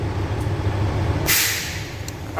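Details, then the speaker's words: Air brake governor test at about 1200 rpm idle: one sharp hiss at cutout followed by short sputter as reservoir reaches 125 psi cutout; governor purge working normally. "there goes the, there's the sound we were looking for. Alright, so governor cutout was at 125."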